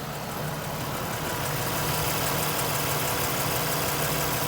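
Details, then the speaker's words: Toyota Highlander 2GR-FE V6 petrol after overhaul for cold piston knock, idling at about minus 40 outside: perfectly even and quiet, no knocking or rattling, only injectors audible. "идеально ровно, идеально тихо. Ничего не стучит, не гремит."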